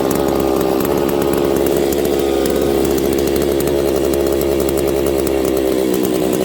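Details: Husqvarna 272/268/266/61-chassis chainsaw screaming at steady high revs, then sagging as brake cleaner sprayed at crank seal is drawn in. Crankcase air leak.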